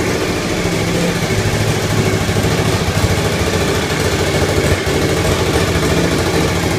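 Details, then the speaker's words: Suzuki TL1000R first startup after four-month restoration, exhaust gasket (donut) still missing: loud, uneven, lumpy V-twin idle with ragged popping and hissing from the leak, white smoke; irregular idle, owner suspects the missing gasket. "lot of popping. Okay. Alright. I'm getting some hissing from the leak."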